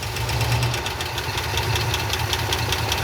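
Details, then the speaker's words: 1969 Ford F-250 with a believed 390 FE V8, first start after sitting 21 years on old oil. Rough idle with a fast, light ticking over the rumble; one calls it a typical FE exhaust leak, another disagrees; unconfirmed. "Yeah, that's a typical FE exhaust leak though. Right away."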